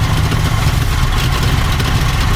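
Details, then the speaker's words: 1970 Ford Mustang Fastback V8, first start after sitting 20 years: deep, lumpy, uneven rumble like firing on half its cylinders; rough running misfire, apparently flooding itself. "that's running like balls sound like it was firing on half cylinders well it's flooding itself for some reason"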